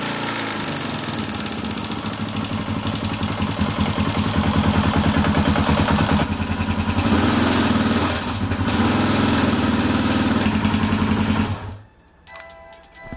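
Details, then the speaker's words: Suzuki GS250 after valve clearance adjustment, cam chain tension and tensioner spring work: rapid light tapping rising with revs, milder at idle; still present, cause unconfirmed. "that didn't sound too good unfortunately they're still tapping there and as you can hear yourself it's with the revs once you pull once you give it some revs it starts tapping on idle lower down it's not so bad"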